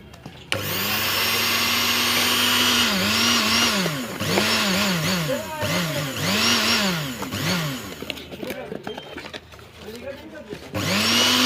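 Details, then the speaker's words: Moulinex grinder/blender juicer after its burnt motor was replaced with a new copper-wound motor: a high-pitched whine spinning up smoothly, pitch rising and dipping as it is pulsed, no grinding or rattle: normal running after repair. "अल्हम्दुलिल्लाह ये मोटर हमने मुकम्मल तौर पे फिट कर दी है।"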